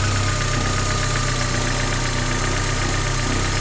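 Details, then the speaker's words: 30-year-old Porsche 944 Turbo after reinstalling the loose camshaft gear bolt that had caused a diesel-like clanking; now a smooth, steady idle with an even low rumble, no clatter and a quiet valvetrain; normal idle. "seems to be running good"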